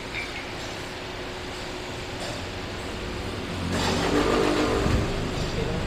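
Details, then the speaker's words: Toyota Hiace diesel that vibrated heavily on starting because of a very soft engine support, test-started after the support was replaced: it fires, idles and revs cleanly with a steady rising note, no knock or shudder, amid street noise; normal start and rev. "Try mo munang i-start. Kung mayroon pa mayroon ka pang naririnig."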